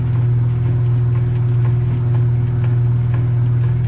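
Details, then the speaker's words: Kenmore top-load washer that agitates and drains but won't spin or spins slowly, lid switch bypassed with a pencil: steady low motor hum with slow, even agitator swish; normal agitation. "And to get this to work now, with the lid open, I'm using a pencil here. Well, you see it agitate."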